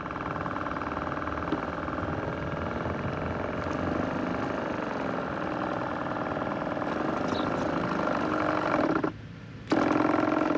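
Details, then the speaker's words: Sprayers Plus 105EX backpack sprayer with water in the tank, pump building pressure; steady electric hum cuts out briefly then restarts as the motor cycles on and off. Pump leaking chemical; pump assembly to be replaced. "alright, so the problem I'm having with this pump sprayer is the motor inside of it is cycling on and off. Alright, it's going on, off, on, off, on, off."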